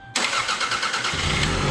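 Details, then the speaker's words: Toyota Camry that had sat parked, first start after fitting a new battery cable end and while checking for rod knock: a brief strong crank catches quickly into an even idle with no knocking, and oil pressure is good; normal start. "Oh man, she cranks so good with that new battery cable end."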